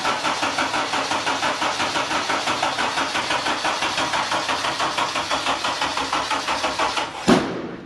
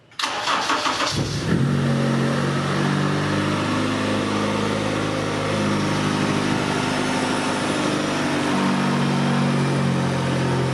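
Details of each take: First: 1996 Mazda MX-5 Miata with swapped Honda K24Z3, first start attempt: slow steady cranking about two turns a second for seven seconds without starting, then one sharp loud backfire; excess fuel suspected, flood clearing planned. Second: that seems real positive 20 yeah 1200 rpm and dropping a little bit it's it it seems like it's running pretty good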